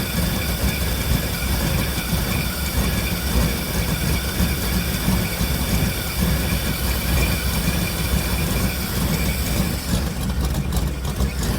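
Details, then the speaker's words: V8 truck with shot rings and heavy choppy cam, cold start in freezing weather, running dead rich: deep lumpy, uneven loping idle, much better than before; rough cold idle, owner suspects cold or cam. "Listen to that. Actually sounds good. Still a little bit rough actually. Not really sure what that's about. But it's much better than it was."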